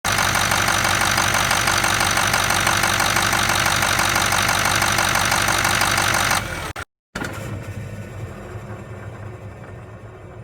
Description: Turbo rattle noise on a 2006 Ford F-250 with the 6.0 Powerstroke. Noise is heard upon engine shut down.